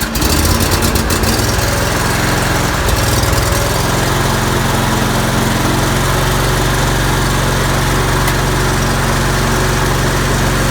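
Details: John Deere L120 riding mower started after replacing leaking fuel line and refitting air filter cover: steady, even drone with strong low thrum, no misses or knocks; runs smoothly, fuel leak fixed.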